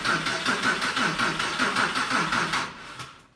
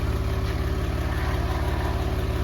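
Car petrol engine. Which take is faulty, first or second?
first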